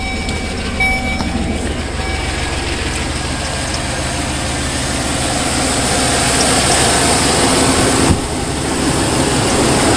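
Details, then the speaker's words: 2005 GMC dually flatbed, 6.0L Vortec gas V8, automatic; light clacking ticks just after start-up that settle as it runs, sounding diesel-like; owner suspects a fan blade or pulley, unconfirmed; ticking at start-up. "yeah I'll start it yeah you can hear a couple clicky Clacks in it sounds like a diesel but it's gas"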